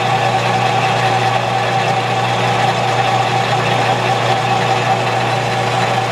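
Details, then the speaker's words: Lathe turning a handle with the taper attachment: a steady ringing squeal wavers over the low motor hum through the cut. Tool chatter is suspected, not confirmed. "it's got a funny sound to it hear it it's got to be chatter"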